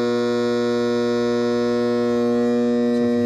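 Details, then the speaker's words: Hot tub pump, breaker switched on: a loud, steady hum while the motor never spins up, plus a kettle-like heater element sound, leading to flow and OHH overheating errors. The start capacitor had failed and was replaced. "And that's, it starts humming. And then you can hear the heater element, like almost like a kettle."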